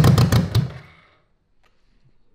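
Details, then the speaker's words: 1985 BMW K100 1000cc fuel-injected engine revived after 15 years in storage, run on starting fluid with little fuel: about half a second of rapid rough firing pops, then it fades and stops dead; blamed on too little gas, fuel pump possibly bad. "Yeah. Yeah. So we didn't have quite enough gas to I guess. Yeah. To hear it run constantly."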